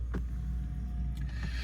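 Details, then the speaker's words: Audi S5 Cabriolet, 3.0 turbo V6 petrol, 64,715 miles, started ice cold: steady smooth low rumble, no knocks or misses, settling from cold fast idle to normal idle; no warning lights. "You see there, down off fast idle now. No warning lights on, virtual cockpit on this car."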